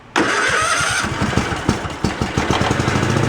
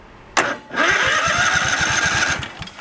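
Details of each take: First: Craftsman riding tractor engine started with mechanical choke at full throttle: brief crank, then it catches and settles into an even idle with no knocks or misses. It runs decently, though the fuel line is bad and needs replacing. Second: Craftsman riding tractor cranking steadily without starting: one cylinder has no spark and little compression. That cylinder's coil is suspected dead.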